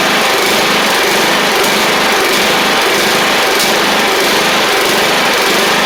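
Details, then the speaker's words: Troy-Bilt Pony 42X lawn tractor, Powermore engine, after carb work and lubing a sticking spring: runs with an uneven, slightly hunting buzz instead of a steady note; the carburetor still needs more cleaning. "I do need to clean the carb a little bit more as you can hear but I'll show you that it drives and cuts while we're here as well"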